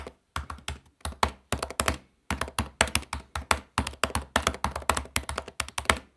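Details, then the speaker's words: Apple MacBook butterfly-switch keyboard being typed on: fast bursts of sharp, hollow, tinny clacks from every keystroke; loud butterfly keyboard key clatter. "Ja, das ist Balsam für die Ohren. Nun, das mit der Butterfly-Tastatur wurde dann so schlimm, wo Apple dann in 2018 dann das Reparaturprogramm für die MacBooks mit einer Butterfly-Tastatur gestartet hat, welches bis 2024 ging."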